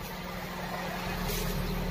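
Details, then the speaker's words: Toyota Corolla Big Body GLI after ECT sensor fix for failed cold start, hard starting and misfire: warm engine at normal temperature idles steadily around 800–900 rpm (about 1,100 rpm cold), no stumble or hunting; normal warm idle. "Then kapag nag-normal temperature na, ayun, bumababa na siya ulit sa 800, minsan 900, ayun. Ganyan na siya kaganda ngayon."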